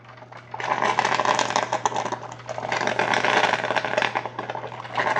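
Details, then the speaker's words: Mr. Coffee 5-cup Mini Brew Switch coffee maker (model BVMC-SC05BL2-1, 650 W) near the end of brewing, grounds fully saturated, water about 180°F: irregular crackling, gurgling spurts over a faint hum that get louder toward the end. Normal end-of-brew sputtering. "The coffee grounds are fully saturated. So towards the end, it gets a little bit louder."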